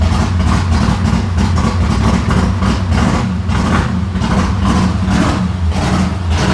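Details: Ford Fairlane V8, freshly rebuilt and never adjusted, manual choke, transmission in neutral: big V8 fires late and lopes unevenly with surging, choppy exhaust; choke possibly on too much, timing and valve lash likely off.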